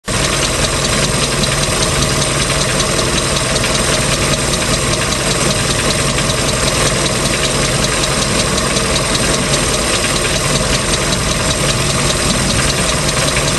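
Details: 3.0L MerCruiser marine engine, second owner, ticking since the start of the season: loud steady engine with a light, somewhat uneven tick about two to three per second on top. Source and cause unknown.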